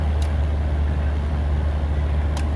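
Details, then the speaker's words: Commercial two-door bar cooler not cooling right, evaporator fan and condenser fan running, not iced up: steady low fan hum with sharp clicks as the compressor cycles on and off on internal overload; condenser dirty inside. "i can hear the compressor clicking on and off on internal overload let's see if i can catch it"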